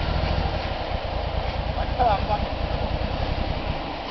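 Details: 1991 Nissan 240SX (S13) with RB20DET turbo swap: idle stumbles with uneven lumpy pulses and the engine lurches on revving; owner suspects a bad misfire.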